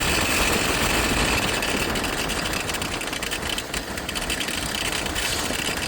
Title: engine alternator pulley bearing noise fixed